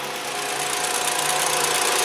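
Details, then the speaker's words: Warm idle at 680–690 rpm, 75 °C coolant, throttle position 2.4, on a 2007 Jetta 2.5 20v: light, quick, even ticking from the canister purge valve, whose hose pulses and vibrates; these valves fail, especially on Volkswagens. "é a válvulas inha do cânister aqui ó se a gente encosta na Mangueira a gente sente pulsar ela até vibra inclusive mas não vai pegar no vídeo essa válvulas ela se danifica né"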